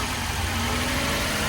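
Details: 2017 Toyota Yaris petrol that stalled after starting following a drive through water, now idling after the in-tank fuel pump was replaced: steady, even low hum with no stumbling or dying. Normal idle.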